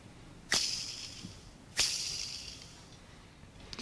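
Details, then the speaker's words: Suzuki Carry DA63T kei truck clutch release bearing, removed during clutch replacement for failure to go into 1st gear, spun by hand: dry raspy hiss fading over a second. Bearing has lost all its grease, no notable play or notchiness. "the release bearing has has lost its grease and you can you can tell it's dry if I give it a spin hopefully you'll hear it"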